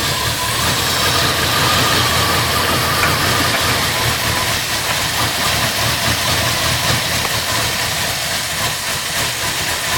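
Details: Lunch truck petrol engine after an oil change and spark plug refit, cold start idling on choke: a slightly stumbling, uneven beat under hiss. It is possibly running a little lean and still needs tuning.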